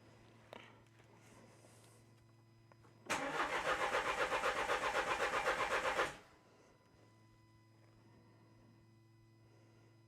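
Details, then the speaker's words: 2013 Renault Scenic III 1.5 dCi K9K636 with four new injectors, all injectors disconnected; about three seconds of even cranking that never catches, rail pressure not reaching its usual 300 bar, crank no start. "oh it's not getting very high today at all"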